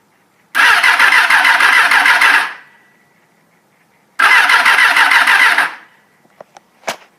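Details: 1989 Suzuki GSX-R 750: two bursts of fast, even starter cranking, about two seconds each, with no catch or firing; cranks but won't start because a bad petcock supplied no fuel to the carburetors.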